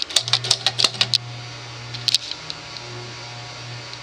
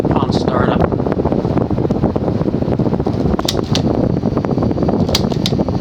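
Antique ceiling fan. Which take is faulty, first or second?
first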